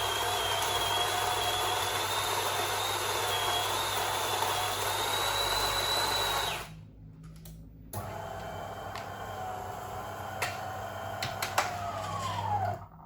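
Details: DeLonghi coffee machine grinder set 2 clicks coarser after a too-fine setting left a wet coffee tablet; steady motor grind with a faint high whine for about six seconds, then stop and clicks; normal grinder operation.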